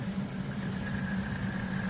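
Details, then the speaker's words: SmartDevil small USB desk fan, replacement unit also noisy; steady buzzing hum with fast coarse rattle from loose, poorly balanced blade, noise varies with fan angle; blade imbalance rattle. "You can see the blade, it's just kind of loose. So, it's the balancing of the blade that's making the noise."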